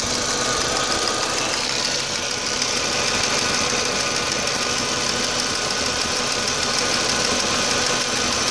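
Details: 2004 Audi A4 B6 1.8T, running rough since a new water pump (cracked impeller, overheating) and new timing belt were fitted: irregular, ticking, hissy idle beat around three per second that won't settle; rough idle, cause unknown.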